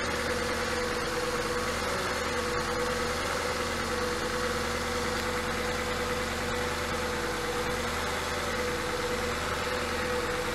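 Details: Porsche Cayenne 957 S with a scored cylinder, idling after a Ceratec oil treatment. An even idle with a faint, dull knock under the running note. The cylinder wall is scored.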